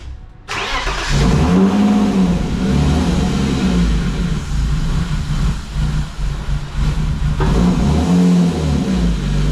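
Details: BMW E36 that keeps dying at idle, after PCV replacement: cranks, catches, then rough unstable idle with surging, hunting revs, worse than before; cause unconfirmed, MAF suspected next.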